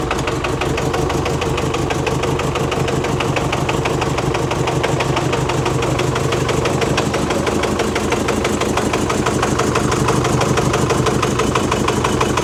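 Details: Chevy Colorado with Duramax diesel, about 4,000 miles after purchase, towed in unable to drive, idling: rough heavy uneven thump about three times a second, clattery; tensioner bouncing, exhaust leak heard at rear, cause unconfirmed (suspected injector).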